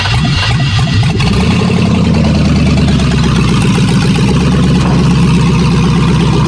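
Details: Bronco II crawler with a newly swapped 2005 5.3 LS V8 and Turbo 350 transmission, cold start with no exhaust: a heavy, deep rumble settles into a fast, lumpy idle, very loud through open manifolds; the fresh engine is running normally.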